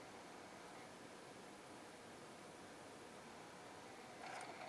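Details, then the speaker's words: 18-year-old NAD L53 DVD receiver that won't read discs, tested with a CD: quiet gritty whir with a faint ratcheting rhythm as the disc spins up. Drive motor suspected bad, possibly the laser; unconfirmed. "okay might need a new laser I don't know sure is making funny noises it's like that motor sounds doesn't sound very good"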